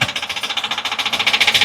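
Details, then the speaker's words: 2013 Ford E450 6.8 V10, towed in from another shop, misfire codes on cylinders 1, 6 and 10, check engine light on, long crank before starting: fast even clatter about ten per second; suspected valve staying closed, unconfirmed. "el micrófono cre que no escuchen con parece matraca así vino este motor así vino en este momento este motor bueno así me lo trajeron en grua"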